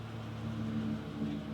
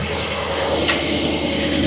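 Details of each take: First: 2015 Chevy Silverado gas Vortec, after repair of a starting knock reported following an oil service, battery reconnected: quiet, even engine hum with no rattles or knocks as the truck backs out; normal running. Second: 2015 Chevy Silverado 2500HD at 197,121 miles, under 200 miles after an oil service, knocking worse when stopping from reverse and under load: fast metallic rattle over the idle at about three per second after start.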